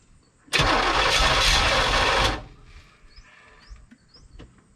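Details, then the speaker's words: 1985 Chevrolet Corvette, parked 20 years, supposedly 24,000 miles, brief run on starting fluid with no mass airflow sensor connected: catches with a sharp roar, runs evenly under two seconds, dies cleanly. Quiet, healthy; fuel pump/tank to be tackled next. "So I think we can start tackling taking the fuel pump out, or the whole fuel tank and she sounded pretty quiet as far as her first little blips to life."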